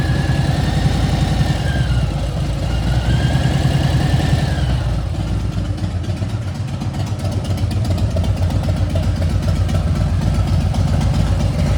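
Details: Harley-Davidson Milwaukee-Eight V-twin: a thin high whine climbs and falls over the loping idle as the engine is blipped; quiet when new, it became 2-3 times louder after new pipes and a dyno tune at 3,700.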